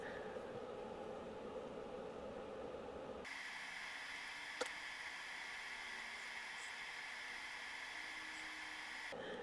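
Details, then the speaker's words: TPA3116D2 single-channel amplifier board at 24 V driving a 2 ohm load: steady high-pitched whine with ringing overtones over hiss; output filters designed for 8 ohms, with high-frequency roll-off. "yeah the output filters are not equipped to handle 2 ohm loads it's really set up for 8 you can probably hear the whine of that thing as it's playing so I'll shut that off"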